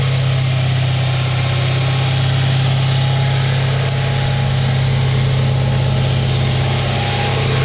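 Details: 2004 Audi S4 4.2L V8 at idle, oil pressure over 100 psi at idle (gauge possibly hooked up wrong): steady low idle with faint rapid tapping about three per second over the rumble; engine knock at idle, cause not found.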